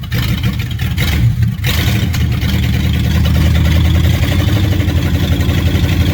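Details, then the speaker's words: 1957 Chevy hardtop (LT1 Roadmaster conversion project) during warm-up; low, uneven, lumpy running with an unsteady beat, stumbling rather than running clean — rough running, cause suspected, not confirmed. "all right we'll try that again I had to put a little timing into it see if she runs a little better"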